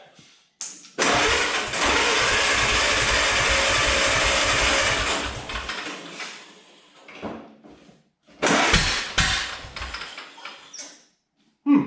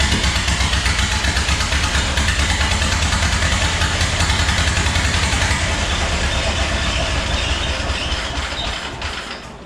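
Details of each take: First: 1929 Ford Model A, first start attempt: long crank with uneven chuffing, brief ragged firing that dies away and sputters again. Rough sputtering start; owner suspects weak or intermittent spark. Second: 1929 Ford Model A four-cylinder, start after fitting the distributor cap and rotor: it fires up with a quick, even exhaust beat and some rattle, then winds down. Water pump not spinning, belt worn. Normal running.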